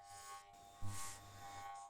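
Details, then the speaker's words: Capacitor motor whose winding shorted after overheating peeled the enamel (windings should read 120 ohms main, 170 auxiliary) gives a deep, steady mains hum at power-on with no spin-up; a wrong-size capacitor is blamed. "Terdengar suara dengung keras itu karena salah satu medan magnet itu tidak dapat tercipta dengan sempurna ya. Jadi entah itu pada kumparan utama ataupun kumparan bantu ya."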